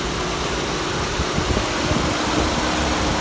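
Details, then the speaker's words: GM V6 at a Copart yard, warm idle with oil present: even idle under a hissy background, the earlier piston slap gone with no tapping or rattle left; running smooth and healthy. "All right, the piston slap has gone away. You got oil."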